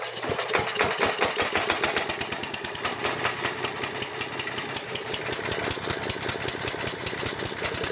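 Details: Craftsman/MTD chipper-shredder, 5 hp Briggs & Stratton 133412-0059-01, sat about 10 years outdoors, after carburetor replacement and linkage repair: fires steadily at a fast even rate, clean crisp bark, no hunting or surging; runs properly.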